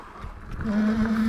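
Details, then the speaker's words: Ariel Rider Grizzly e-bike on trail brake test: steady squeal near 200 Hz comes in partway and holds; squeal comes on and off and goes away after riding a while, cause unconfirmed, intermittent brake squeal. "hopefully you can hear that pretty well. It goes away after a while, so as you ride it'll go away."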